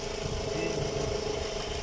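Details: VW Gol 1.6 with power loss, knocking and the EPC and check-engine lights on: a short uneven, stumbling idle with skipped beats. One cylinder is misfiring, diagnosed as an ignition coil not delivering spark.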